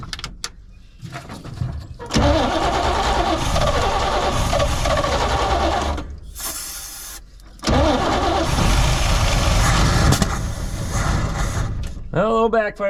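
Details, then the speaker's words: 1972 Chevrolet C20 pickup after over 20 years in storage, cold start on starting fluid and possibly poor-quality gas: rough cranking that catches, stumbles and surges with a pop; backfire through carburetor, fuel pump likely not yet delivering enough fuel. "i don't think we're i don't think we probably got quite fuel from our fuel pump yet"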